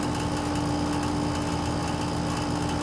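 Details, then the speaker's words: HVAC system being pumped down before replacing a TXV with a piston: steady compressor hum grows louder and rougher as suction pressure falls to about 19 psi, relief valve not yet opened. "you can hear the compressor getting noisy it may kick in the the relief valve may open it may not we're down at 19 psi and it hasn't opened yet"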